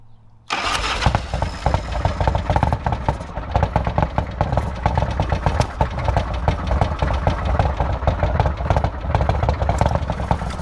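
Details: Old Harley-Davidson: engine catches and runs with a lumpy, uneven beat and irregular popping; rough idle from a clogged carburetor idle jet.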